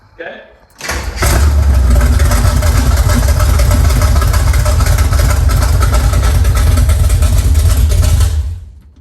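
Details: 1971 Pontiac Ventura Sprint V8 started after being picked up as a non-runner, with unknown plugs and wires and fuel added. It cranks briefly, then catches and holds a loud, steady, deep rumble with no misses; a clean first start.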